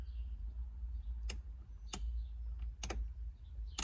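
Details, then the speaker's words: Late-1970s Guanci SSJ mid-engine V8 prototype, first power-up after over 25 years in storage, ignition on, engine off: four sharp isolated clicks over quiet background; source unknown (turn signals ruled out), the clicking later stopped. "Okay, what's clicking? We got a turn signal on or something?"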